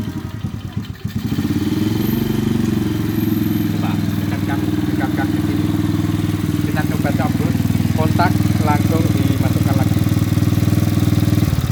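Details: Motorised bicycle with a leaking fuel line, started with the key: a small single putters at about four beats a second, steady and even after starting; it idles normally.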